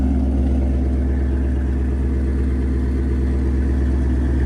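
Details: 2019 Ford Coyote V8 with 10-speed after replacing a wiped exhaust cam lobe, rocker arm and oil pump gears, oil level checked, warming up: smooth, even low idle with no knock or tap; the earlier consistent knock is gone.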